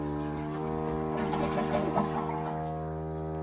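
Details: Toilet refilling after a flush: steady, loud, reedy buzz at even pitch through the pipes; air trapped in the plumbing or the shutoff valve were also considered, fix tried is replacing the fill valve.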